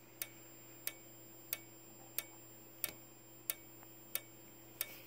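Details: Simplex 4903-9219 fire alarm strobe, 15 candela, flashing 60 times per minute: crisp ticks with each flash over a constant high-pitched whistling from the charging capacitor. The strobe is working normally.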